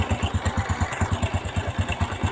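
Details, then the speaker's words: Honda Revo Fit/Absolute carburetted motorcycle at idle: even thump about nine beats a second with a dry rattling clatter; loose cam chain, which has broken through the engine block. "untuk penyakit motor ini yaitu rantai klepnya kendor kretek-kretek ya yang lebih parahnya lagi di bagian belutnya itu sampai jebol nih ya"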